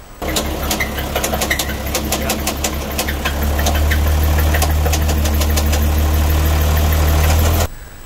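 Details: Isuzu 6BG1T diesel in an expedition truck build, idling with a sharp heavy metallic knock about four times a second; owner suspects a piston issue such as a cracked skirt, possibly no compression on one cylinder; finding: failed big end bearing.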